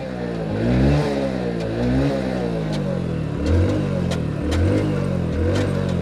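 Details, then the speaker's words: New Hero Splendor Plus 2023 BS6 100cc, about 642-650 km, revving up and down in second gear: sharp irregular ticks over the engine note; attributed to the faulty new chain set. "अभी जो टिक-टिक की आवाज़ आपने सुनी, वह इसकी नई chain set से आ रही है, और यह मोटरसाइकिल बिल्कुल नई है।"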